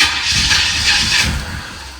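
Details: 1986 Corvette C4, L98 TPI, rebuilt engine, about 132,000 miles: starter whirs with a tired, fading crank that dies within two seconds without catching, the two-week-old battery found dead.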